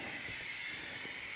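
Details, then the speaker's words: Engine pressure leak test at 15 psi through the air intake: steady high-pitched hiss of air escaping, soapy water bubbles reveal an intake manifold leak, manifold must come off; exhaust now sealed. "so just a soapy water solution and if I spray you soapy water very bitter see I've got a leaf on intake manifold so now my intake manifolds gotta come off"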